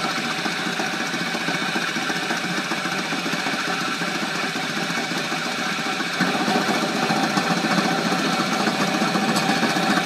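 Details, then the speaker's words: Flywheel V3 motor rig running, frequency about 126: steady buzzing drone drops and grows heavier when the capacitor is connected, pulling nearly a kilowatt; cause of the tone change unknown. "about remove the capacitor but you can hear the tone change oh by the way when this capacitors on its it's actually pulling nearly a kilowatt"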